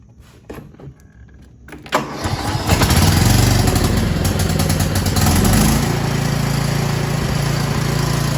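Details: Cub Cadet XT1 mower started after oil and filter change: cranks briefly, catches cleanly and settles into a steady, even idle with no misses or knocks, no leaks; normal start and idle.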